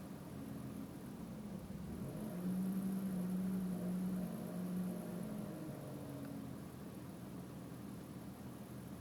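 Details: BMW M3 3.0 petrol engine idling with an uneven, stumbling, lumpy beat, foot off the pedal except one throttle blip around 45 seconds: misfire at idle.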